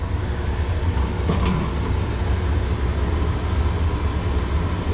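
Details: Laars Mighty Therm commercial hydronic boiler firing during preventive maintenance; manifold gas pressure about 3.97 in water column (target 4), inlet 6 running: steady low roar, even firing, no surging or popping; normal burner operation.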